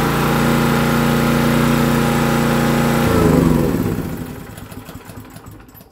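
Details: Honda EG2500 generator on its first start after sitting an unknown time in a semi trailer (fuel and oil okay, choke on): steady, even buzzing hum for about three seconds, then smooth wind-down, with no misses or knocks. Voltages within spec.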